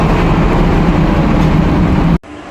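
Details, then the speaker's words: Air handling unit fan on a variable speed drive, feeding jet grilles in a corridor; the slot grilles in an unfinished tenant space are blocked by partitions. A loud, constant rushing roar with a low hum underneath runs until the unit cuts out. Excessive airflow noise reaching the supermarket; the fan speed is being lowered through the drive. "This noisy sound it go inside to the supermarkets because our supermarket are opening now, and but some tenants are not yet complete installations. So now we try to reduce the fan speed of the AHUs by using the VSDs."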